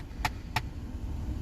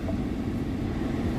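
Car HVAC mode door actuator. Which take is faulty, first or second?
first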